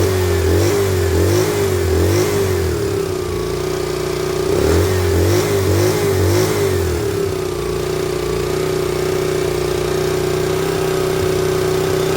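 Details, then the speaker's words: Honda EM400 generator with the carburetor linkage exposed for adjustment: a high, steady drone with slow surges. It is overspeeding because the governor pulls the throttle wide open; speed needs setting via the stop adjustments. "the governor wants to be all the way on pulling the throttle all the way open in this position anyway we'll get to that"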